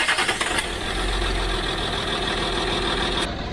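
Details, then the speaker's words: 2006 Land Rover Discovery 3 TDV6 2.7L diesel on first start after a full engine rebuild: rough, lumpy running with a gap in the firing as one cylinder's injector is not firing; the fault did not return on the second start. "so we have a cylinder for injector is not firing"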